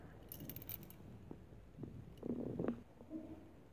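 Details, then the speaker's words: Skoda Rapid seat belt retractor removed during airbag and seat belt replacement: loose bolts click and jingle inside as it is moved, which is why the belt is stuck; the new unit is silent and works properly. "And we can hear the bolts are clicking inside. That's why it's stuck."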